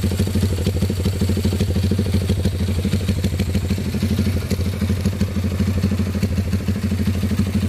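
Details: Honda CB with PE33 carburettor fitted, 125 jet and a thicker spare needle: steady, even thumping at a relaxed idle around three beats a second, no misses or hunting; idle smooth.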